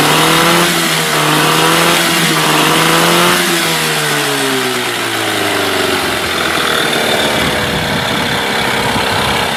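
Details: Mercury 8HP two-stroke outboard, sat unused for an unknown time, running in a water tub on its first test start; revs up, then the pitch sags as it takes load going into gear, smooth and buzzy throughout; normal running.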